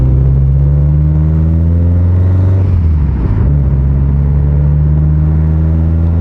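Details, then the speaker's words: Rebuilt Subaru STi engine running after a short test drive following repair. A deep, steady note holds an even pitch with only a brief dip: no cylinder roughness, no knock, AVCS and AFR readings normal, and boost working. "from what i can tell so far that little drive we did it's perfect not a single issue no cylinder roughness"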